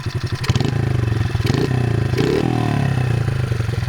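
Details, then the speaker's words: Modified 2003 Honda XR50 pit bike that previously bogged and wouldn't idle after sitting outside: after repair the small single-cylinder barks cleanly and revs up crisply without hesitation; runs much better. "yeah sounds pretty good runs a lot better than it did when we began"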